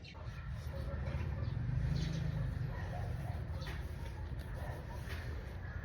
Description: Get ready to hear the spine-chilling grind and howl that sent me scrambling for answers.